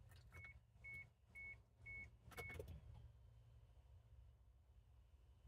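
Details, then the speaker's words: 2000 Chevy Tracker after installing a new fuel pump assembly: at key-on the dash chimes, then a faint steady electric hum as the new pump primes. Normal fuel pump prime. "All right. Now, when I turn the key, we should hear the pump come alive."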